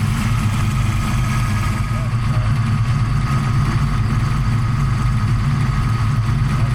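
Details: 1992 Fox-body Mustang, 347 stroker with Terminator X, after fixing swapped injector wires 7 and 8, cold startup: steady, even, deep idle with no misfire or ticking; sounds healthy.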